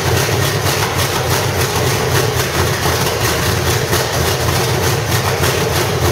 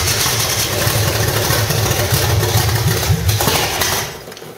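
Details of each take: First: 1985 Chevrolet Stepside with cammed V8 (claimed 400 hp Corvette motor), roller rockers and open headers, gummed-up old carburetor: loud raspy even idle with slight cam lope, sounding healthy. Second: 1985 stepside with a cammed V8, roller rockers and headers, possibly a 400 hp Corvette engine per the seller: long rough cranking catches into an uneven, lumpy run that dies away. The old gummed-up carburetor delayed fuel flow at start.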